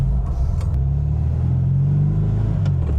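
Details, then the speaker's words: Classic fastback, likely air-cooled, that sat for about a month. Starts easily and holds a steady, even low rumble with no knocks or misses; normal idle. "Oh, starts up like a dream. >> Just needs a little love after it sat for a month or so."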